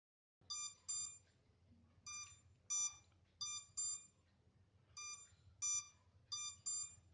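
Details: MJX Bugs 3 drone left on without transmitter connected, minutes later: short high electronic beeps in pairs or singles every second or so in a quiet room; lost-signal locator warning buzz.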